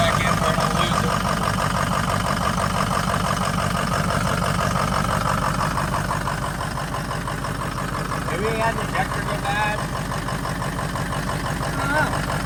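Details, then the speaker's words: V8 after hard burnouts: rough idle with a slight miss and a faint quick puffing tick. An exhaust leak at the pipe/collector. "I hear what sounds like leak. You hear it? Maybe that's the exhaust here."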